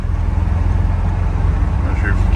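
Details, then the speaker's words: VW Vanagon with stock 2.1L boxer engine on a cold start in icy weather: a low, uneven, shuddering idle that knocks and bangs for the first minutes and shakes the whole van; it runs okay once warm, cause unknown. "but idling really rough doesn't want to go it's shuttering not quite sure what the problem is"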